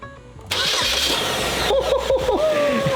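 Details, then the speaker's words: 2012 Chevy Malibu 2.5 Ecotec, junkyard replacement engine, first crank after swap: starter whirs briefly, engine catches at once and runs evenly with no knocks; healthy start. "Look at this. She power like a kitten."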